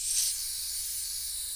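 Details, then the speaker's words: Crude centrifugal reciprocating air compressor (PVC cylinder, machined PVC piston with O-rings): steady high hiss of compressed air escaping the tank, fading slightly; normal compressed-air release. "you can probably hear the the hissing noise so that's the air that's been compressed in there"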